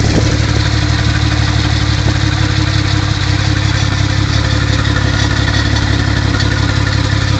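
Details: Mk3 Toyota Supra petrol engine at almost 100k idling with rod knock, a dull, deep knock tapping under the low rumble roughly three times a second.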